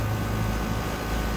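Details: 1.5-ton York condensing unit recharged with R410A, restarting only after hard start kit added: steady low hum with rough gravelly churn; broken compressor valve plate, barely pumping, suction line cold, little cold air.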